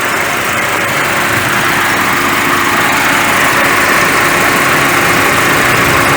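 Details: Chevrolet Onix 1.4 automatic LTZ at idle after 40,000 km service with timing belt replacement, timing checked by oscilloscope, crank/cam relearn and throttle reset, no fault codes: even, steady, smooth hum, no knocks, ticks or rattles.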